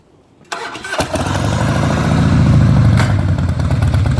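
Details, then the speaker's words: 2003 Harley-Davidson Softail Standard, before its motor oil, transmission and primary fluid changes. Starts into a lumpy V-twin idle, then gives one loud, harsh metallic clunk when first gear is engaged from a standstill. "Dan is gonna start the Harley up and he's gonna put it in the first gear and there's a really big clunk"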